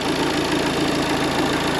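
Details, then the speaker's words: Diesel idling roughly with a harsh, rapid clatter over an uneven, lumpy beat, heard from outside; owner unsure whether the vacuum pump in the oil sump or something else is the cause. "nie słychać jakieś takiego dziwnego dźwięku na zewnątrz nie wiem czy to jest wina wakupompy czegoś innego jest takie jazgot"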